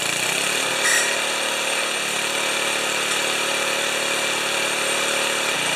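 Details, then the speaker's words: 1973 Tecumseh single-cylinder snow blower engine after carburetor refit, started on full choke at mid throttle: runs fast and even with a constant hissing, airy suction note; no fuel leakage, source unknown. "it is making a horrible streching sound now I don't know what that is might have to investigate that"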